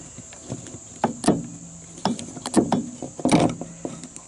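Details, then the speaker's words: Cub Cadet LT 1018 tractor with a blade engagement problem: sharp, irregular clicks, some with a brief low hum, as the electric PTO blade clutch pulls in when powered; clutch still works. "I think you guys can hear that clicking right so it appears as if the clutch is still alive"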